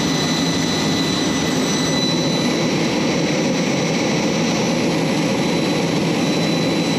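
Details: J79 jet engines on a ground run after refuelling and fixing leaks, to verify the leak repairs; steady turbine roar with a high whine on top, even and unchanging. Normal, healthy jet engine idle.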